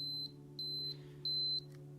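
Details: Canon AE-1 Program battery check button pressed: three high, clear beeps at about two per second, indicating a low battery.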